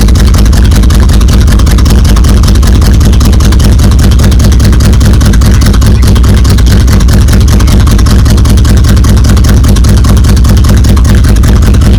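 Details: 1977 Buick Electra 225, Buick 350 V8, sitting for decades, running with exhaust pipes removed after a clogged catalytic converter overheated: very loud, raw, deep rumble with blunt firing pulses and no muffling.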